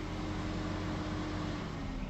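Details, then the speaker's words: MiniVan after the coolant reached 108 degrees, engine and ignition switched off: steady whirring hum of constant pitch as the radiator fan runs on normally, then stops. "Là ça ventile, on est monté à 108 donc impeccable. Je vais éteindre le moteur couper le contact. Ça continue à ventiler."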